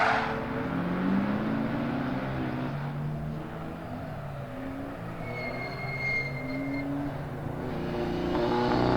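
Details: RWD-converted Mitsubishi Lancer Evo X drift car with longitudinal 4G63 four on track, revs unevenly and stumbles under throttle, note breaking up; misfire under acceleration, cause not found.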